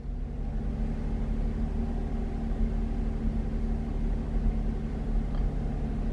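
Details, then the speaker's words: Chevrolet Traverse petrol V6 with worsening idle and surging, revved and held near 1500 rpm, sound at tailpipe: deep, slightly uneven beat with pops; scanner shows cylinder four misfiring. "misfiring rated 1500 rpm and there you can see cylinder number four has had some misfires"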